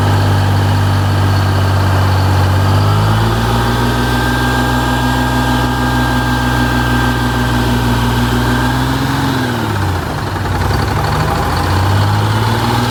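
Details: 1985 Bluebird Wanderlodge PT40 diesel after refilling the near-empty primary fuel filter: settles into a steady, even idle with one brief rev dip that recovers cleanly, no knocks or misses; buffer/fast idle adjustment comes next.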